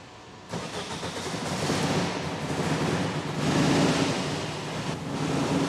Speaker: Yes, that's really, really good. And it sounds a lot better, so I think we've really solved that air-fuel mixture problem.